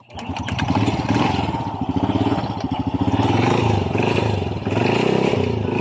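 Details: Honda Wave 100 start after reassembly with a new timing chain and a replacement roller guide arm: a small single-cylinder engine fires up and settles into a quick, even putt with throttle swells, running normally.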